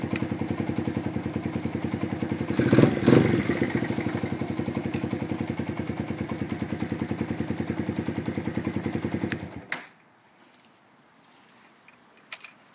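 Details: Honda FTR223 converted to 125, engine cold; idle carries a sharp, regular clatter about three beats a second until switched off; cause unknown. Cold-engine clatter.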